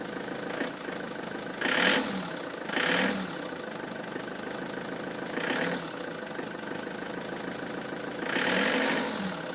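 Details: Ford Transit van with codes P0149 and P1564, idling: quiet idle broken by irregular hissing, rushing bursts every few seconds; abnormal engine noise, cause unclear.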